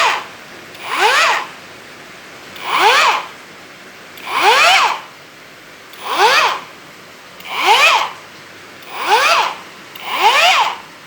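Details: Hujia cordless grinder that shut down from overheating, repaired by insulating peeled wires and fitting a better battery: short bursts about every 1.6 seconds, each a clean rising whine with no grinding or rattle; the grinder is running normally.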